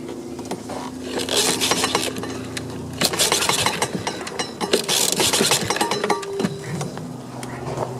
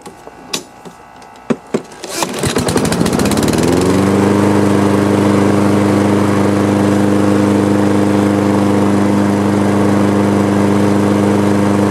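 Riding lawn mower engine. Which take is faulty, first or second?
first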